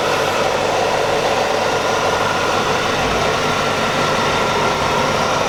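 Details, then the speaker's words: 1996 Chevrolet Corvette C4 coupe, 5.7-litre V8, about 64K miles, hood open: steady, even, quiet idle with no knocks, ticks or misses, only a light hiss on top; engine running good, normal idle. "there's that beautiful beast of an engine running good sounds good nice and quiet"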